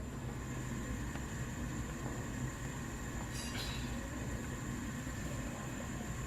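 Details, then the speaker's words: Household gas stove burner at full gas after checking the burner cap seats flush, clean of debris; steady even low roar with no popping or puffing that it previously had at high flame. "ไม่มีเสียงผึบๆออกมาโอเคงั้นผมขอปิดแก๊สนะครับ"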